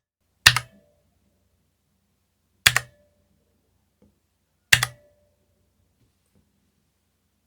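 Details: Spigen ArcPlay mechanical gaming keyboard, non-hot-swap switches: single key clacks each followed by a short metallic echoing ping, more apparent on left-side keys; owner unsure whether only his unit is affected.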